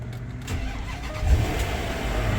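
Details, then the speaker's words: 2012 Land Rover LR4 push-button start right after an alternator replacement: brief crank that catches quickly and settles into a smooth idle without stumbling; normal start, charging then reads 14.6 volts. "It's one of these push buttons. Get it lit up, put my foot on the brake, push the button."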